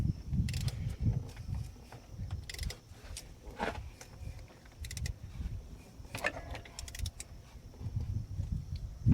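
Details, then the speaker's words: Mercedes-Benz A350, M276 V6, engine turned slowly by hand via 27 mm crank bolt: occasional sharp metallic click every few seconds, the cold-start rattle; cam adjuster suspected, timing chain tensioner also being checked. "So We heard that click. That's that rattle that you hear at startup."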